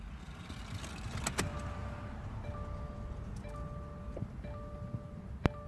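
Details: 2016 Subaru WRX STI after replacing an AEM 320 L/hr fuel pump that failed within three weeks: steady, even low rumble with no knocks, misses or surging under background music; engine running smoothly.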